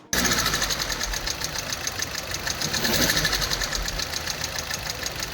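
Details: Idling car engine with a sharp, steady tapping about three to four a second, warned of at 10,000–30,000 km mileage; a faulty hydraulic lash adjuster that can lead to engine seizure.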